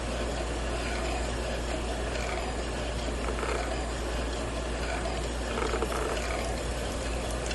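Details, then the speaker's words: Victrola Re-Spin Bluetooth record player at 45 RPM, volume muted: steady gritty grinding and rubbing under low motor hum, drive sounds like it's straining, like a struggling VCR; not heard at 33 RPM, audio unaffected, cause unclear. "there's something that sounds like it's kind of straining a little bit kind of grinding a little bit it doesn't affect the sound it still sounds good"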